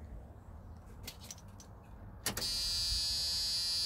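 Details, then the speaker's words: 1987 Dodge D100 at key-on before first start after fuel pump and V-belt replacement and vacuum line delete; a few clicks, then steady high cab warning buzzer holding, buzzer works. "the buzzer still works"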